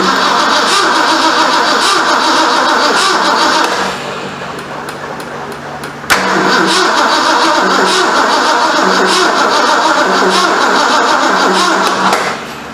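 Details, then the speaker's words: 1973 Ford Mustang Mach 1, 351 Cleveland, 4-speed, first start after engine reinstall and months sitting; steady cranking about four beats a second with pauses, never catches. Owner suspects an unplaced coil hot wire; unconfirmed. "I think that is the hot wire for the coil. Seems like we would have pop or spit or something. Ain't got nothing."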